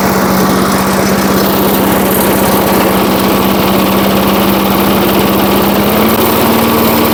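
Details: 1980s Firestone 22-inch mower after about 20 years of storage, carburetor just adjusted, warming up while smoking slightly and clearing: loud, steady single-cylinder buzz at constant speed, slight rise near the end. Normal running.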